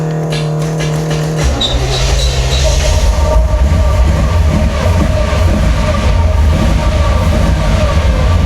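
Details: 1984 Chevy Corvette with dual 4-barrel carburetors, parked about 20 years, fuel pressure about 2.5 PSI with a loud new pump: rough, uneven V8 idle that sags and surges near stalling; worn carburetors, accelerator pumps struggling, fuel leaking.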